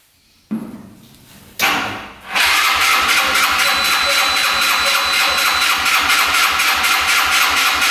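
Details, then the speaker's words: Yerf-Dog Scout 4x2 UTV, sat outside for years, started on choke: two short cranking bursts, then it catches and runs rough and uneven before stalling; not getting gas, clogged filters stopped the fuel pump. "yeah it's not getting gas it was at first the filters clogged up so our gas pump stopped working"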